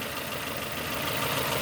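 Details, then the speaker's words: 2002 Nissan Almera N16, QG18 cable-throttle engine, idling after swapped ignition coil connectors were corrected: even, steady idle, cylinders 4, 3, 2, 1 all contributing, no more misfires. "Number 4 contributing, number 3 contributing, 2 contributing, 1 contributing. No more misfires."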